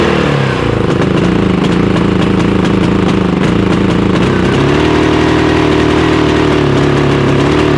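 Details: Harbor Freight Predator 5000 dual-fuel generator running on gasoline (backfires on propane): engine drones with an uneven, wavering beat and pitch shifting instead of holding steady; runs rough the same on both fuels, owner suspects too much fuel, possibly rich.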